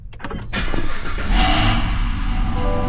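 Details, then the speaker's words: 2024 Cadillac CT5-V Blackwing, under 3000 miles, Corsa catback exhaust with valves closed (tour mode), after check engine light cleared: quick crank, clean catch, deep even subdued idle, no misses or rattles; no check engine light. "As you can see, it's not as loud as it would be if they were open. No, no check engine light."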